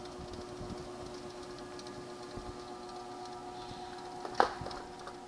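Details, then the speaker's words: ProForm Crosswalk Advanced 525x treadmill, over 25 years old, after cleaning a roller. Motor hums steadily with a faint, uneven tick about once a second. The noise, less than before, has shifted to the middle of the deck; the source is unclear and a bearing is suspected. "put it here the other push it back and let's see start not as bad as before like noises coming from the middle there the noise backyards almost the same as in the front"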